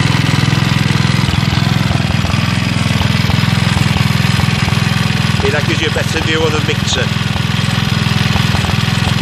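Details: Villiers Mk 12 stationary engine running on butane camping gas via a regulator: even single-cylinder putter at about two beats a second, steady and unbroken under light load, running cleanly.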